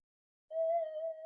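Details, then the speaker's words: Minelab SD/GP/GPX metal detector with a double D coil, run in mono: clean, steady mid-pitched threshold tone with no deep low burble, much quieter than the other double D coil; normal quiet threshold. "Listen how quiet that is compared to that other double D."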